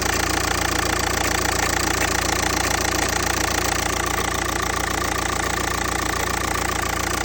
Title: Was für ein Problem kann das sein? Woher kommt das Klopfgeräusch? Audi A3 8P 2.0 TDI (BMM)